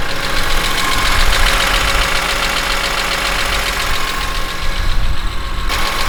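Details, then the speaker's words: BMW E46 M3 S54B32 after timing chain, VANOS, oil pump, rod bearing and water pump service, slightly warmer: steady smooth low-rumble idle with no knocking or misfire; intermittent noise from the alternator comes and goes, engine otherwise smooth and quiet. "but rather than that the engine runs smooth it runs quiet as possible in my opinion"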